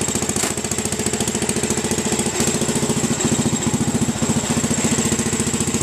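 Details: 1967–68 Sears Suburban single-cylinder engine running on a makeshift vaporizer carb, no gas tank, ball-valve mixture at a single throttle setting, moving fast: rapid slightly uneven thumping; mixture not right, so it loses power going uphill.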